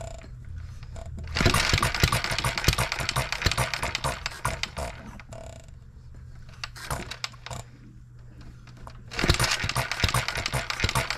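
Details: Engine built 1988, not known when last run, crank just straightened: uneven popping exhaust beats, about three to four a second, with skipped firings and surges. Misfiring; owner suspects fuel-system junk and plans governor-spring speed adjustment.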